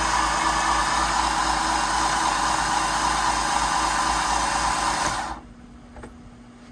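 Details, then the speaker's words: MerCruiser 3.0 in a Stingray 192 RX boat during engine work, lifters pumped up with oil, spark present, before pushrod adjustment: starter spins the engine over at an even quick pace for about five seconds; normal cranking. "it's spinning over which I'm pretty happy um that's a good sign it was having spark so that's even a better sign"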